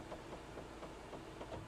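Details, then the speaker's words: Wuling Almaz, panoramic sunroof opening halfway by voice command: steady motor drone with dry rasping chatter about four times a second; sunroof drive sounds rough, owner suggests it needs re-greasing at a Wuling dealer, cause unconfirmed. "Oke, coba bunyinya udah agak kasar kayaknya, nanti kalian bawa aja ke Wuling terdekat, minta dikasih grease lagi biar licin lagi."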